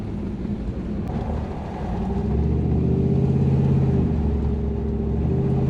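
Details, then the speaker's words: Toyota LN106 Hilux with 1UZ V8 swap and automatic, after fixing air leaks and lean fuel-supply issues, driving: smooth V8 pulling up with even rumble, no spluttering or misfire; repair successful. "i definitely think that's been successful grows much nicer no spluttering way better"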